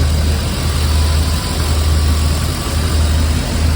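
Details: 1995 BMW 540i E34 V8 after an engine refresh with new seals, plugs, valve cover and intake gaskets and a valley pan; an odd idle was traced to swapped throttle body and ASC sensors. Deep, even, steady idle with no misses: normal idle.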